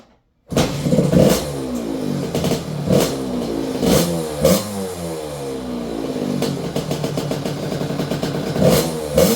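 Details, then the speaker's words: 2006 KTM 65 SX two-stroke, after a carb clean and new throttle cable, following flooding: crisp revving blips with a clean high crackle and no bogging. The needle was dropped two clip positions (2nd from top), with a 200 main jet and air screw 3/4 out; it now pulls hard. "once I did that she pulls hard it's a little screamer it's a fast little bike"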